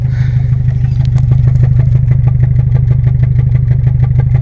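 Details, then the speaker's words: 1997 Honda Civic EX D16Y8 VTEC, sat unused a while, idling on three cylinders with cylinder 2 misfire despite new plugs and cleaned cap: lumpy idle with steady stumble about three times a second, from a spark-leaking plug boot. "okay so I've been trying like hell to figure out why this is only running on three cylinders it's a 97 Civic EX the D16 Y8 uh VTEC"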